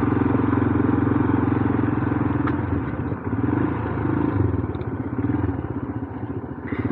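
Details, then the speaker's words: Royal Enfield Himalayan single, cold after a day of rain and bump started in second gear, now idling with a little choke: steady, even thumping with gentle swells, no clatter or misfire; back to normal. "let's just give a little bit of choke and there we go sorted back to normal"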